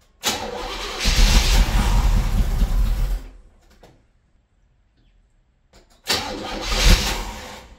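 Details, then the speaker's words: 1978 Monte Carlo 305 5.0 V8, rebuilt 2004 probably under 50 miles, 600 CFM Edelbrock four-barrel, unstarted for months: catches, runs rough about three seconds, dies, refires; hard starting, owner suspects carb rebuild, tune-up, possibly fuel pump needed. "well as you saw the motor does need a lot of TLC it turned off on me once on camera but I was actually trying to create more content driving down the street but I was having a lot of issues keeping it on"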